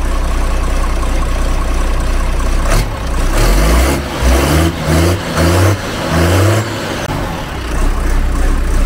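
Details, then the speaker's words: Air-cooled Magirus Deutz diesel in a camper truck, just restarted after repair and oil change following a strange noise after hard mountain climbs: steady, even idle with clean throttle blips, no knock; runs like clockwork, noise gone. "Ça vient de démarrer. Ça fait plus le bruit. Il tourne comme une horloge."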